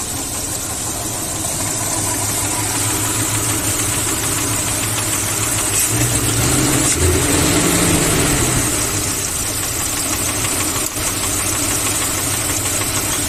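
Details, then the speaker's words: Vehicle engine blowing blue smoke from the exhaust, with a light, fairly regular tapping about three times a second at idle: piston slap, the pistons rocking in excessively worn cylinders; teardown confirmed the engine needs a rebuild. "eh tenía un pequeño ruido no en el motor no sé si han podido evidenciar en el momento de funcionamiento un pequeño golpeteo y eso ocasionaba estos pistones"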